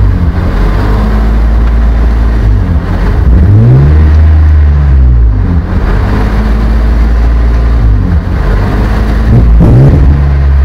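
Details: BMW E34 520i after new plugs, fluids, filters and ECU: idle sits very high and oscillates, with blips of the gas; owner asks if vacuum leak, hiss under inlet manifold; intake air temperature sensor later found reading -36 °C, suspected cause.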